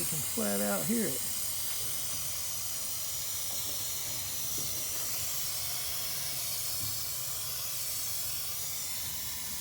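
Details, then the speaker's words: Lennox gas package unit with no cooling or heating: refrigerant added, then a loud, steady high hiss of gas pouring out of a leaking condenser coil. "so we'll go ahead and get enough in there to work with oh i hear it now put it right down in there so i don't know how hard it'll be to fix but i can tell you it'll be easy to find"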